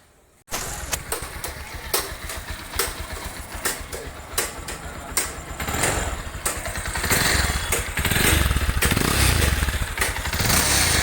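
A single-cylinder motorcycle engine idles with a steady low thump and a brief rev, with no chain rattle.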